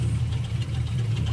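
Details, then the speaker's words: 2006 Chevrolet Silverado idling, recorded from underneath: loose, uneven rattle from the back of the engine; a bad starter had been rattling on the flywheel, and with the new starter ruled out and torque converter unbolted, a broken flexplate is suspected. "If you hear that, it's definitely coming from back here."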